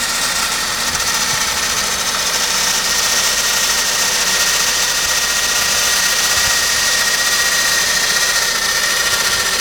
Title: Saab 9-5 strange noise 1